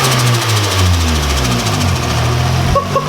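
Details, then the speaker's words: Nissan 240SX petrol engine settles from a light rev into steady even idle after fixing a wrongly oriented hose clamp; sounds exactly as it used to. "how's exactly the same as it used to dude it's literally sounds exactly the same"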